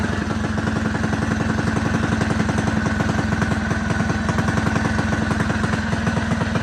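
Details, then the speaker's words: Rebuilt Predator 224 single-cylinder engine, new piston, rings and rod bearings, aluminium flywheel with advanced timing key, ported PWK carb; first start after priming and a mishap: quick, steady, clean idle, runs normally. "All right, I got it started after a little bit of mishap, so let's see."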